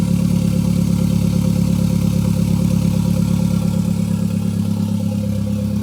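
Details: Gen5 Toyota Caldina with MR2 engine swap, first start with no exhaust fitted: loud, raw, steady idle with an even low beat and no misses; runs smoothly, just very loud.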